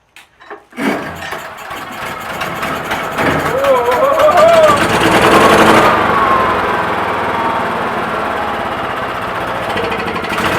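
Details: Generator unused for about nine years, given fresh fuel, during pre-hurricane prep: a few cranks, then it catches and settles into a steady, even run with no misses or knocking. It starts and runs normally.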